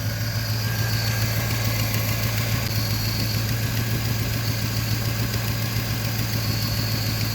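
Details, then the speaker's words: Cadillac Fleetwood after heater core coolant restriction valve replacement, hard-starting: rough idle with irregular bloop breaking the beat, each bloop a miss; owner suspects OptiSpark distributor fault; misfire at idle. "Every time when you hear that bloop bloop sound, that is a miss."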